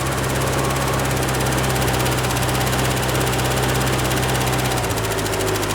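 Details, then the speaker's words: 1967 Ford F100 pickup with a 1970 grille, long-sitting, first run on gas poured in, with some valve scatter: steady low idle drone with an even beat, no misses or knocks. It runs normally, but the fuel pump isn't picking up. "Wow, actually running pretty good. Until it runs out of fuel, I guess."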